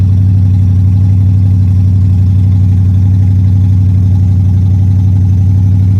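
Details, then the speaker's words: Pontiac Strato Chief with a new homemade exhaust and the original straight-six radiator: deep even idle rumble pulsing about four times a second, no knocks or misses; running better than before, though it previously tended to overheat. "this thing I don't know if you can hear me but this thing's running quite a bit better than it was uh last time I had it started so that's nice"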